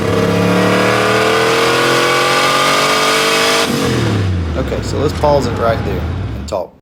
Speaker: There's the stumble I was talking about earlier. I'm not sure exactly what that is